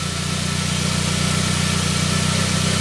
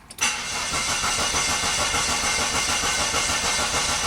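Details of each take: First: 1999 Saab 9-3 after its crank-no-start was repaired; the signal now reads 1.3 V cranking versus about 200 mV before, and 6.3 V running. Smooth, even idle with a constant low hum and no stumbles. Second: Saab 9-3 crank no start: the starter churns steadily at about three turns a second and the engine never catches; the tachometer does not move while cranking. Traced to a weak signal from the single crankshaft position sensor.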